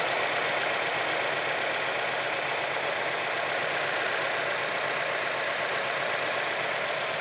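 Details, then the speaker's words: 2004 Acura 2.4 i-VTEC DOHC at idle, codes P0301–P0304: uneven stumbling idle with irregular shaking beat about four per second, car shaking badly; misfire. "so it's shaking pretty bad so there I feel much better and happy to share that with you guys"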